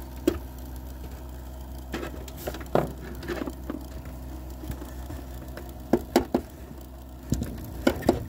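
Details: PC with a power supply drone, normally noisy from a bad processor cooler pump, suddenly much louder: steady low hum that changes when tapped, confirmed with a stethoscope; noisy power supply.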